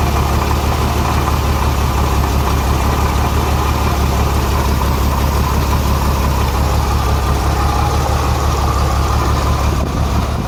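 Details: Renix Jeep Cherokee inline-six at idle: uneven, stumbling beat from cylinder 6 misfire; its exhaust valve rocker moves less than others, too tight.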